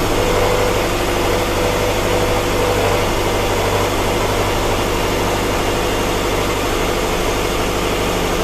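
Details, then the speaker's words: 2007 Subaru Forester with intermittent rough running, idling after repair: low, steady idle with an even rumble, no stumble or miss; runs great, no fuel leaks at the fuel rail. "Looks good. So I've run the car for a little bit, and it runs great. No leaks whatsoever."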